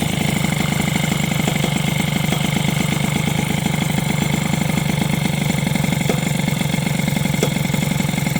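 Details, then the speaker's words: SPX/RCX moped engine after replacing the engine mount spacer with a softer polyurethane one: fast, fairly even idle with a rattling tick on every beat as something contacts; the modification was later judged not advisable. "par contre il y a vraiment un truc qui touche"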